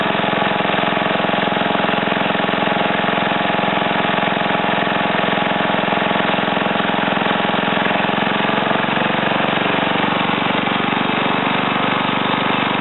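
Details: Ariens TA20A Trans-a-matic rototiller, single-cylinder engine rebuilt and clutch repaired, carburetor untouched, tilling ground in wooded area; steady even beat, no knocks or misses, settling smoothly under load; normal running.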